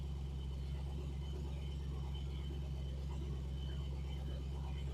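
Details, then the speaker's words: Triumph TR8 (Oporto) V8, heard from front: deep, even burble, steady rhythm, no ticks or stumbles, fast idle easing down as it gets some warmth; normal warm-up idle. "It's getting a little bit of warmth in it now, and it's starting to slow down"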